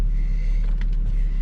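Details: Petrol engine (V35 Skyline or MK5 Golf) after replacing the left-hand camshaft position sensor, engine code stored but slip and VDC lights gone: smooth, even low rumble with no knocks or misses; idling normally.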